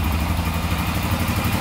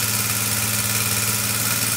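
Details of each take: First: Rebuilt Honda 400EX single-cylinder quad after valve adjustment and new exhaust gaskets fixed an exhaust leak: smooth, even, quiet idle with no ticking and no exhaust puffing. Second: Rebuilt Honda 400EX single-cylinder idling with a quick steady tick over a raspy exhaust puff; exhaust leak from a bolt needing tightening, and tightening the cam chain didn't cure the tick, so a valve is suspected and valve clearances will be checked.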